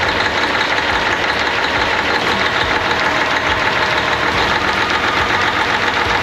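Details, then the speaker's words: 1998 Freightliner Classic, Cat 3406E diesel, after replacing injectors and cups (fix for fuel dumping into oil at idle), injectors set at 52.32, fresh oil, 68 psi oil pressure: steady even idle with busy clatter, no misses or knocks; normal idle. "looks good sounds good got the injectors set at 52.32 just to give it a little more juice and uh 68 pounds of oil he runs pretty clean"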